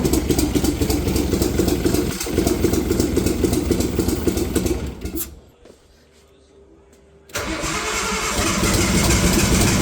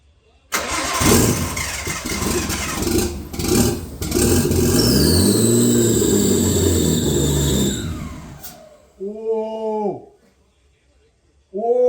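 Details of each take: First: Nissan RB20 engine started for the first time in 5 years after the car's rebuild, injectors possibly not seated right: catches, runs rough and lumpy, nearly dies, then picks up; misfiring on only some cylinders, owner suspects timing or coils. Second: Nissan RB20 first start in five years after rebuild, with new spark plugs and coil packs, old dirty injectors: starter churns briefly, then the six catches and settles into a loud, somewhat uneven run before shutting off; engine starting and running.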